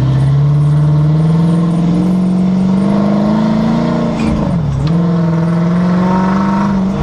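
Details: 2011 Dodge Charger driving, camera on the left rear suspension facing the differential: a steady squeal over road noise that rises and dips with speed; began near 60 mph, now heard at all speeds and sometimes at idle after 5000+ miles, cause unknown.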